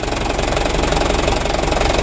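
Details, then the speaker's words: Used Mitsubishi Canter diesel truck idles with rapid, even knocking over a harsh clatter; the knock is quieter on the right side, and the injection pump timer or bearing, or the timing gears, are suspected. "Kalau ada suara kasar seperti ini Kita cari dulu kita dengar baik-baik dari mana sumber suaranya kalau dari sebelah kanan tidak begitu keras suaranya nah menurut saya teman-teman ini sumber suaranya ya dari bospomnya dari suaranya"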